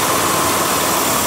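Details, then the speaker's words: Large vacuum leak simulated by pulling the air intake hose off after the clamp, letting unmetered air in that the computer can't compensate for. Loud rushing hiss over a struggling rough idle that nearly dies. "CRO fire engine is running it's almost gonna die if I pull it out further and this large of a leak doesn't matter you owe it to censor tell your computer it's so much air in the system it just can't compensate for that you can also hear the hiss of the leak too"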